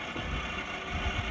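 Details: Samsung Novus wall-mount mini split indoor unit, fan at high speed before motor replacement: steady rushing airflow over a rough, uneven low rumble; BLDC blower motor bearings failed from a dirty blower wheel.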